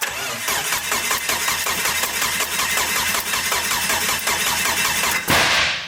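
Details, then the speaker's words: Mitsubishi Evo after engine damage at the track (timing jumped a couple teeth): sluggish cranking, under two compression beats a second for five seconds without firing, due to low battery; jump pack then cranks faster and it starts. "yeah the battery's low let's get a jump pack on it try this game without blowing the [ __ ] door off off the shop you'll hear it crank twice as fast"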